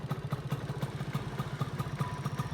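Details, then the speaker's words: Fizr single-cylinder with Satria block at idle after replacing the magneto rotor (loose rivets had caused ticking) and stator coil: even exhaust thumps about four per second, no metallic ticking from the fan side, only the carburettor slide making noise. "Ya ini setelah diganti magnet sama spoolnya udah halus ya, jadi dari kipas udah nggak ada bunyinya, ini cuman skepnya yang bunyi."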